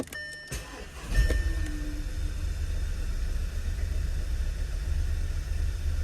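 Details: 2013 Volkswagen 2.0 TSI petrol engine on cold start after sitting: cranks, catches and idles rough and uneven; live data shows misfires on cylinders 1, 2 and 4, mostly cylinder 2, despite new coils and non-leaking injectors.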